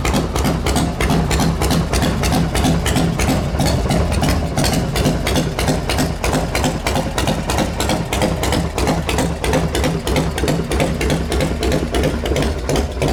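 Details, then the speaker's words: 2000-registered special-construction custom Harley with factory EVO motor (not S&S or RevTech), trick cam, 5-speed, fired up on a borrowed battery; loping, even V-twin beat of about three pops a second holds steady after start-up, no knocking: healthy normal idle. "EVO motor in it, factory Harley motor. It's not a SNS motor or RevTech motor. It's a real Harley motor. It's got some kind of trick cam on it."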